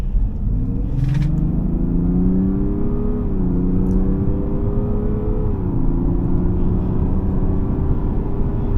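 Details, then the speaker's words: 2024 Mazda CX-60 3.3L turbo diesel mild hybrid accelerating on a gravel test drive, heard from the interior. Deep low drone that climbs, drops at each upshift and climbs again, with the diesel roughness still audible. Normal diesel acceleration. "You know, behind all these fruity sounds that I'm feeling in the interior, I'm hearing rather, you can feel that the roughness of the diesel is still there. But a lot of people actually do love how it sounds."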